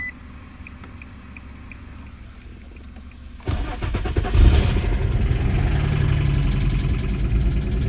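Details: 2003 Infiniti G35 coupe with no-start from key/immobilizer, low on gas, after new key programmed with Autel KM100: brief crank, catches cleanly at about 3.5 seconds and settles to steady even idle; fixed.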